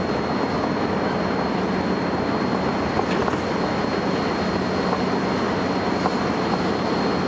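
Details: First Manchester Volvo B10BLE bus 60403 (S670SVU), recorded 30 May 2011: thin, steady high whistle above low diesel drone and road rumble, unchanging in pitch; source undetermined.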